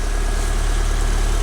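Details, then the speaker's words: Long-abandoned, crash-damaged Fiat Punto Abarth at warm-up idle after revival, fluid levels not yet checked. Smooth, even low hum with no tapping or stumbling; it runs very well. Normal idle. "C'est un bail qu'elle est à l'abandon cette pauvre bagnole. Elle tourne bien par contre hein. Tourne super bien."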